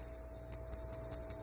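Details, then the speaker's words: Overheating diagnosis, cooling fan circuit component tested on the bench: no continuity across its terminals; tapping it gives six sharp light ticks about every fifth of a second over a quiet hum, something loose rattling inside. "I tap it and there's something something's loose in there. Odd. Very odd."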